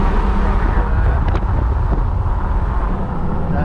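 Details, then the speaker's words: 2005 Dodge Ram Cummins long bed, cruising on the road: constant low droning roar, no knocking or grinding; tires humming, tires considered worn and the priority to replace, otherwise runs good and shifts great. "Windshield has been replaced at some point, but you can hear the tires kind of humming now."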